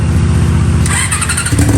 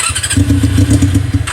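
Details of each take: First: Honda CB400 four-cylinder with four square carburetors fitted to an off-road golf cart, before throttle linkage is done: catches and settles into a steady, even, smooth idle; carbs sound well balanced. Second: Honda CB400 four-cylinder with four carburetors in an off-road golf cart, original carb setup before tuning: catches with ragged uneven burble then sags and fades; runs only with choke held on.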